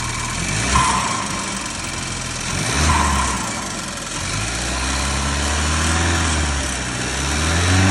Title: Seat leon 1.5 Tsi DACA engine ticking/rattling noise.. Any ideas? Not the turbo actuator